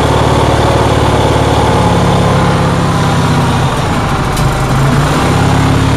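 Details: Onan generator engine in cold weather, holding a fast, busy rumble with a slight sag mid-clip, well above normal idle; the reason is not identified.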